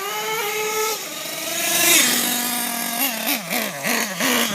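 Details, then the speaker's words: Losi LST XXL nitro truck set very rich, recorded while driving; high buzzing two-stroke note rising and dipping with throttle, a bit blubbery and sloppy on pickup yet good performance; rich-running nitro engine. "you can see that even though I'm running very high on the rich side I still have great performance it's a little sloppy out of the hole"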